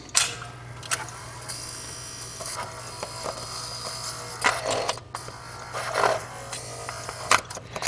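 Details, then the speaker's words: Curtis Mathes record changer with platter off, motor running: low steady hum with light scraping and clicks, no turntable rumble; idler roller hardened like rock and crusted with dried grease, so it gets no traction driving the platter. "But this thing is so dry that it's not getting any traction."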